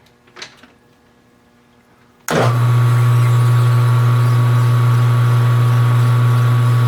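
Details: Small lathe cutting a 20 diametrical pitch, 14 degree pressure angle, 50-tooth gear, steady even hum and smooth cutting hiss with no chatter or knocking; taking the cut fine.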